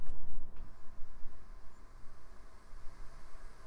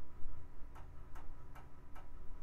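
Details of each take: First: Optical drive in a 2000s Micron ClientPro PC during testing: quiet low hum with motor tone stepping up in pitch as the disc spins up quickly and evenly; drive works and sounds fast, healthy. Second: Hard drive in a 2000s Micron ClientPro PC after RAM fix, booting to a blank screen: sharp, evenly spaced clicks about two and a half per second over a faint hum; failing drive, no good, replaced.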